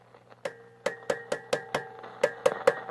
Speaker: I did notice that these tubes are pretty microphonic, which I think is pretty common for the 1-volt DC tubes. You can hear that when you tap on it.